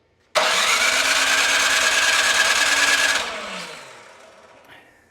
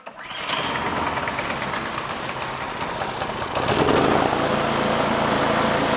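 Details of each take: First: Craftsman 26-inch snow thrower with a 270-QU engine that had sat for years, on choke after extra priming, with good spark: quick even cranking for about three seconds without a single firing stroke, before the carburetor bowl was drained. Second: Craftsman 26-inch two-stage snow thrower with a Quiet Technology 270-QU engine that had sat for years, pull-started on the bench after debris was cleared from the carburetor. It catches at once, settles into a steady even buzz and speeds up cleanly: running normally.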